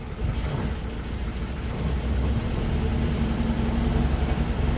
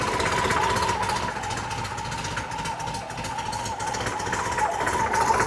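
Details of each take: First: 1968 VW Type 3 1835cc, cold start, lumpy uneven low idle until the second carburettor bank kicks in, then smooths: cold start misfire, one carb bank not yet firing. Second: 1968 VW Type 3 with 1835cc air-cooled flat four, newly installed, warming up with some smoke from oil burning off: steady even idle, then louder fuller run from about six seconds; sounds healthy and dialed.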